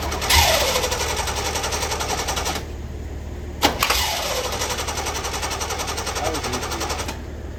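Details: 1966 Corvette, 383 stroker, 4-speed manual, weak starter, cranking on jumper cables: quick even cranking, ragged firing catches briefly then dies, twice; won't idle, blamed on old gas, fresh 93 octane added.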